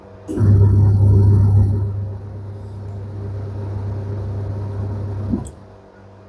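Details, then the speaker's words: Candy semi-automatic twin-tub washer, after the wash motor fix with the belt refitted: steady low hum with an even churning swish, then winds down, motor and belt smooth; normal wash cycle. "One cycle spin. You can see the spin motor running well, no any issue."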